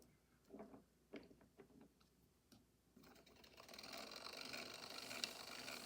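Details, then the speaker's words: Victor II phonograph built 1905, rebuilt with winding crankshaft installed and governor freshly oiled: spring motor runs with scattered clicks then a steady, dense, high-pitched whirring rattle from its noisy straight-cut gear mesh; these aren't quiet. "They make a lot of noise. I say these aren't quiet."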